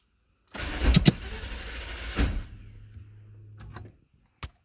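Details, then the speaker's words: 2000 Nissan Maxima, 118,000 miles, no codes, intermittent hard start: a key start where the fuel pump is heard kicking on, then about two seconds of cranking and a faint hum before it dies. Security light is off; cause unknown. "I hear the fuel pump kick on. That's what it'll do, just like that."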